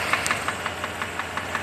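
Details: Mercedes-Benz W126 500 SEC at idle: sharp, even ticking about five or six times a second over steady idle; engine ticking noise, cause not pinned down.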